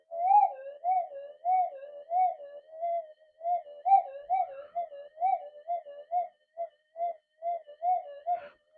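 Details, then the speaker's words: Minelab detector run in mono, volume turned up; warbling mid-pitched tones pulse about twice a second over silence, with no deep burble unlike the other Double-D coil, quiet, stable, a small target speck heard. "Listen how quiet that is compared to that other double D. I'll crank the volume up so you can actually hear it. There you go. It's a hell of a lot quieter. It hasn't got all that deep burble noise. No, you get a little speck."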